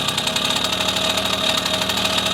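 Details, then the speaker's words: 1974 Honda MR50 small two-stroke, new engine on its final heat cycle: the carb air screw is turned in from about 1.5 turns out. The idle's "ting ting" drops into a slow, uneven "brrr" at about 8 beats/s; it lugs because the air screw is in too far. "Now this screw, air screw, right now it's at a turn and a half out, I believe. We're going to go in until we start to hear the motor RPMs drop, and that ting, ting, ting turns into more of a brrr. Okay? Hear that? RPMs dropping, lugging."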